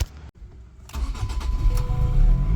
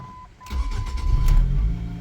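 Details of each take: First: 2005 Ford Focus ST with codes P0183 and P0193: long uneven cranking churn before it finally catches and settles to idle. Hard start attributed to faulty fuel rail pressure sensor, recorded before replacing it. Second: 2005 Ford Focus ST with hard starts and codes P0183/P0193, after replacing the sensor: quick crank, fires straight away and settles into a steady, even idle with no stumbling; normal start after repair.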